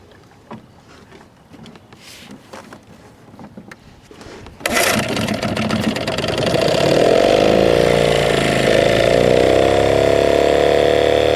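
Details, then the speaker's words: 1979 Johnson 6hp outboard with low compression, first start in the pond after running fine in a test barrel: catches after a quiet start and runs loud and uneven; owner suspects it is firing on only one cylinder. "yeah what it sounded like to me was it was running on one cylinder sounded good in the uh tank of course in the barrel"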